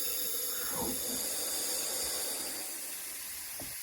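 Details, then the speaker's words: Lotus Elan, airline connected to system with ball valve for pressure test; steady airy high hiss of air escaping at a fitting up top, later fixed by tightening Jubilee clips: compressed air leak. "I've connected the airline you can hear the airline's leaking it's definitely leaking up here"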